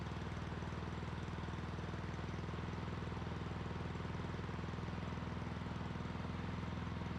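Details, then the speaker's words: Lawn mower after carburetor work, started with a drill with the cover off. A small single-cylinder engine thumps steadily at idle and won't shut off when the bail is released; it was stopped by pulling the plug wire. Cause: a bent kill contact. "problem now when I release the bill this didn't shut off what happened I don't know so I'm gonna have to take a look under here and see what's going on because I had to pull the spark plug wire to get this to stop"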